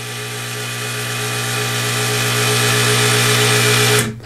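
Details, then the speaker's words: Wooster motorized ball valve wired to relay one of a W600 controller: small geared motor whirs at steady pitch about four seconds then cuts out cleanly as it opens the valve; normal actuator run. "can actually hear the motor energizing and opening up the valve when I turn it off [Music] it energizes again and closes the valve"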